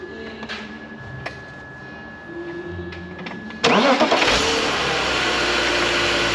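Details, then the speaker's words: Drift car engine after a hydrolock, run with the mass airflow sensor unplugged: it fires at once and settles into a steady, even run. The wet MAF is suspected dead, and coolant leaked afterwards. "It's the MAF. They just ran though, didn't it? It just ran."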